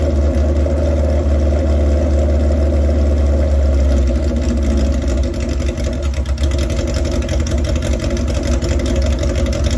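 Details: Old chopper motorcycle at idle: deep loping uneven beat around 150 a minute that never settles; propane run around intake rubbers where carbs meet cylinders gave no change, so suspected vacuum leak not confirmed; rough idle, cause unknown.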